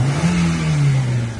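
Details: After injector cleaning, with previous choking on throttle: revs climb at once and cleanly, no stumble, bog or choking; fuel delivery sounds right.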